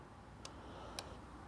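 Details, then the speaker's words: BMW motorcycle fuel pump, removed, grounded and powered directly, tank holding possibly old gas: only a couple of faint, sharp clicks about half a second apart with no pump hum; the pump has failed and needs replacing. "no juice you can actually feel it like clicking in my hand so yeah pumps junk there we go problem solved"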